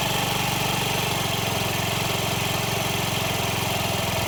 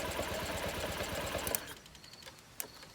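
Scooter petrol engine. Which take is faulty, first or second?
second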